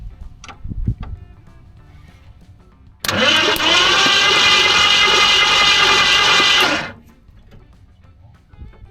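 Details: 1970 Ford Mustang Fastback, possibly 351 V8, sitting 20 years, oily plugs: starter spins the engine freely and evenly about four seconds, fast steady churn, no binding; healthy cranking.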